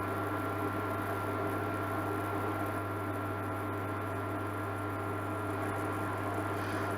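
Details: Amzchef dual induction hob after solder repair of E0 no-heat fault, heating a pan of water: even constant low hum with faint steady tone, no buzzing or cutting out; heating normally, temperature rising.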